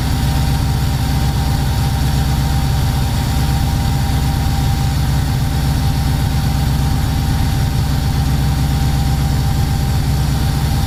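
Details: VW T3 Combi with Subaru engine swap, first start, coolant at 76 °C: loud, uneven low idle that lopes and stumbles with a heavy throb. It is running far too rich, roughly 12.5, with black smoke that risks killing the plugs.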